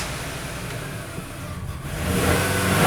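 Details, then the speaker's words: 2005 Ford Ranger Edge with swapped engine, not started in four years, battery fitted: it catches and settles into a steady low rumble with no knocks or misses and no dashboard warning lights. Running fine. "Uh, this is amazing. It's running. I love it. And I was just looking, no lights on the dashboard, no no engine lights, no nothing, man."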